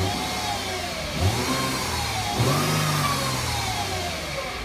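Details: 2008 Mercedes-Benz C300 V6 with stock exhaust, cold start and revving: a thin whine climbs and falls with each throttle blip; a failing alternator, and replacing it removed the noise.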